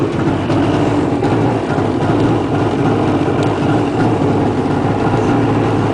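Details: Two-stroke jet ski just after a cold start: busy, buzzy running with a slightly wavering beat, unsettled while warming up. Giving gas before about a minute of warm-up would stall it, and it stays running once above 10,000 RPM.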